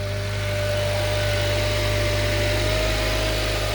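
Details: 2008 Honda Accord after draining accidental E85 fill from tank: even steady idle, smooth low hum with faint constant whine, no misses or knocks; healthy idle, no leak at high-pressure fuel fitting.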